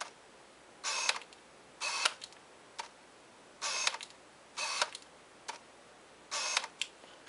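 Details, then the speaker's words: Canon 50mm f/1.8 Mk II lens with a motor-driven, non-USM autofocus motor: short bursts of sharp, high-pitched whirring buzz during focusing. The autofocus is fast but very loud, which is normal for this lens. "as you can hear there, the autofocus sound that this lens makes is very loud."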